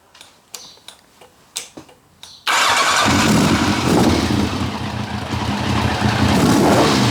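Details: 1990 Kawasaki ZZR1100 that started running on three cylinders, with plug leads 2 and 3 just swapped back: after a few quiet knocks it catches and runs loud and ragged with an uneven beat. Misfire; the cause is suspected, not confirmed.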